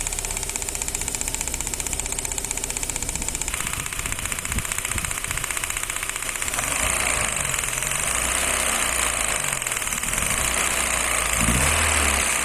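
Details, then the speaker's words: Gasoline engine with one spark plug disconnected, running on only three cylinders: the engine shakes with a lumpy, uneven idle beat, one pulse missing each cycle; misfire, one cylinder dead. "Cómo funciona el motor al desconectar un inyector el motor únicamente funcionará con tres cilindros Por ende funcionará de esta manera"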